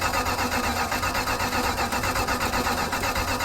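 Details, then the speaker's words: 1972 Plymouth Road Runner, 440 V8 with four-speed, not run for a while, cranking in neutral before adding fuel: steady, even starter churn, about four compression pulses a second, no odd knocks; normal cranking. "let me just see if it cranks whoa steering wheel release neutral it cranks"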